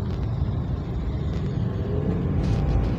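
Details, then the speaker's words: Toyota Avanza manual in gear under throttle: engine drones and roars at high revs without gaining pace, a steady low roar; clutch lining worn, possibly stretched or loose, and slipping. "Jadi setelah kita masuk gigi, kita gas, dia pasti ada gereng."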